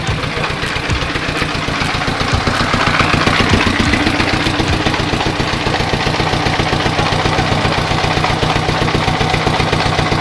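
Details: Rice mill drive engine in a rice-milling shed, after adding a bought exhaust muffler to reduce noise. Even steady thumping with no misses or knocks, muffled exhaust note; normal running.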